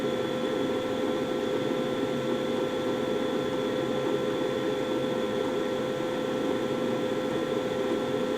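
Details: Carrier gas furnace in the basement serving the first floor, heat startup: blower fan comes on about five seconds in, then steady even rush of air with constant mid hum, no scraping, rattling or pulsing; normal operation.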